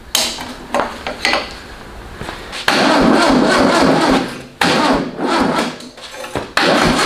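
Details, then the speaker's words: VW-powered custom trike with tracks, carburetor leaking: uneven cranking bursts with long grinding stretches as the starter drags, smokes and glows red. Starter overheating and failing; timing also seems off, with backfiring through the carb. "yeah we're we're smoking the uh the starter here finish it on we got red whoa starters on its way out"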